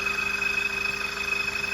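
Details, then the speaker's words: VW Jetta TSI at idle: fast, even metallic "iron on iron" chatter with a thin high ring. Caused by a blown 5 amp fuse in the fuse box, which was replaced to fix it. "fala rapaziada então PR você que tá com Jet aí que tá fazendo um barulho de ferro com ferro no motor vou te ensinar a tá resolvendo esse problema aí"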